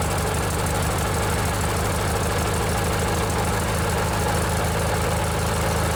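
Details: Briggs & Stratton 16 hp opposed-twin riding mower engine running smooth and healthy: even, steady drone with a regular low pulse and no knocks or misses; normal running.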